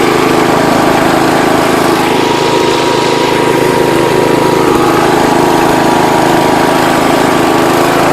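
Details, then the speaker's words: John Deere 210 Kohler single-cylinder after throttle fixed and idle/low-speed mixture screws adjusted, high speed not yet set: smooth even fast run with steady note, no misses or knocks; normal running. "he said it idles really good so stay tuned alright guys got it running again this thing flies"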